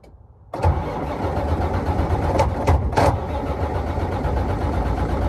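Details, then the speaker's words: 2006 Freightliner Columbia, key on with no dash diagnostic check; ECM fuses checked, should have plenty of fuel. Strong, even cranking at a steady beat for about five seconds that never fires; cranks but won't start, cause unknown. "doesn't even do the diagnostic check gets nothing but it will crank it just won't start it should have fuel should have plenty of fuel now"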